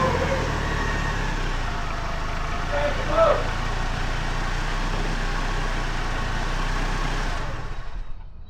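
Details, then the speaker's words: Cold start on a 2005 Chevrolet Colorado after fixing a reduced engine power code, new battery terminal and mouse-nested air filter: deep, steady rumble at a fast cold idle, even with no knocking or misses; smokes some after start. "Let me give you a cold start on the old ' 05 Colorado. Let me show you what this baby's got."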